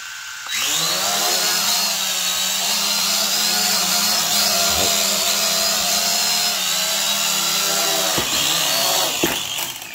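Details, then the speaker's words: Eachine E520S drone, paired to controller and phone over drone Wi-Fi, on one-button take-off: a steady high motor buzz holds for several seconds, then cuts out as it drops; it fails to launch and stabilize even under manual control. "so i think we get the point that it's not able to launch and stabilize even if i try to control it"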